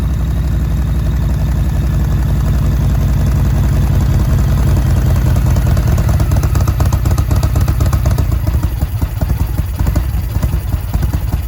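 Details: 2005 Yamaha Road Star 1700 V-twin, sat about five years, new battery, enrichment (choke) cable seized, first start: loud uneven idle with stumbles and clattery beats, hiccups; rough running, cause unconfirmed.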